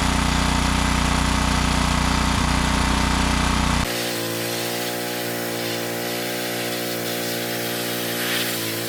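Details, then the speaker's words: Ryobi 3200 PSI 196cc Kohler pressure washer after replacing camshaft with old-style decompression part, having had pull-cord snapback on compression stroke despite valve adjustment: single-cylinder engine at steady fast even beat, settling smoother, running fine. "At the beginning of the video, I couldn't even get it to turn over, let alone start up and run. So in my eyes, this was a success."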